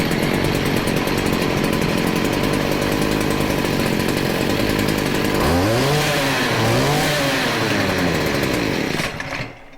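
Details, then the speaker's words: Stihl FS40C string trimmer after carburetor adjustment: steady high two-stroke buzz, with quick throttle blips that pick up cleanly and settle. Starts and runs normally. "but other than that this is a steel fs40c seems to be running good let's give it another pull just to make sure"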